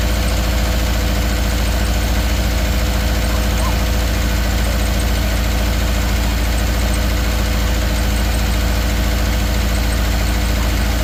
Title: 2013 subaru outback 2.5 misfire cylinder 3